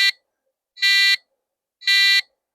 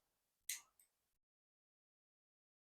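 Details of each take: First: 1993 retro PC motherboard first power-up: three short buzzy PC-speaker beeps, a POST error code. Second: Retro 1993 386 PC motherboard at power-on, no CMOS battery or keyboard fitted: short click, then one clean high beep of about two seconds; memory test passed, normal POST.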